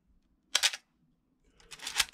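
A crisp, dry shutter clack with no squeal behind it: a healthy film SLR firing cleanly.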